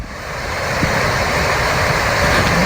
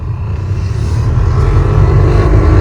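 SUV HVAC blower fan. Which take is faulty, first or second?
second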